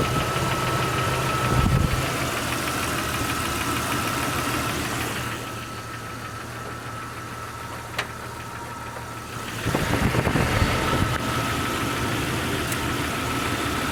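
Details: 1999 Jeep Cherokee XJ at 307,000 km (190k miles), cold start: steady light knock about four per second easing as revs rise, gone when warm; owner suspects piston slap, unconfirmed.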